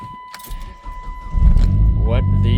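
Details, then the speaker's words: 2009 Dodge Caliber SRT-4 with corroded relay box bypassed by wires pushed into socket: chime, short crank, catches at once into even healthy idle; previously no crank despite new relay clicking. "It went from no crank to with that just shoved in there."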